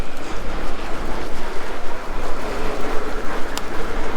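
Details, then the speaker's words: Engwe L20 SE e-bike ridden over bumps: dull, irregular knocks through the road rumble as the front suspension compresses and the front basket hammers down on the headlight, now bent. "so basically we got a light down there it's bent now because this suspension knocks it over it's hammering it it's proper hammering it down"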